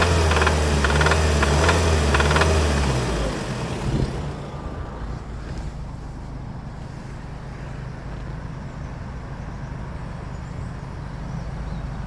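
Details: 2019 VW Arteon 2.0 TSI DJHC 280 PS, about 50,757 miles, knocking began within 3k miles of purchase: sharp regular knock over the engine when revving above roughly 2-3k rpm, fading toward idle; unnoticeable in normal city driving; cause unknown.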